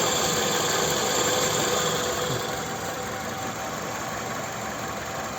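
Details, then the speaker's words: Toyota Camry XV30 with 2.4 2AZ-FE, cold start, after balance shaft restoration and a new tensioner: even, settled idle with no rattle or whirring from the front of the engine; normal idle, the earlier cold noise gone. "Как работает двигатель так и работает дальше всё парковка двигатель отлично работает друзья все"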